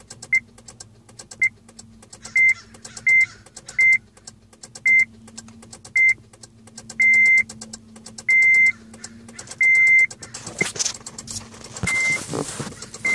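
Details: 2006 Honda Civic LX coupe: the dash chime beeps repeatedly, then a short rough crank never catches; the battery and alternator tested fine, but a new battery fixed it; no-start from a weak battery.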